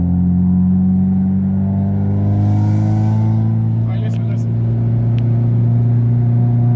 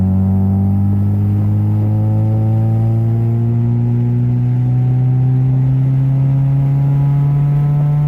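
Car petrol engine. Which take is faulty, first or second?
first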